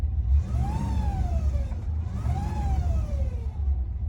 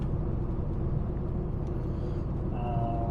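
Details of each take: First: 1972 Rover P6 3500 V8, barn find off the road for 12 years: an automatic transmission whine rising and falling with revs, present in neutral and gears but not park, so pump-related; owner suspects a blocked filter. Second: 1972 Rover 3500 P6 V8 with a BorgWarner automatic, after replacing a badly blocked filter, driving home from the test: steady low road rumble with no whine, shifting much better and feeling fixed. Normal transmission operation.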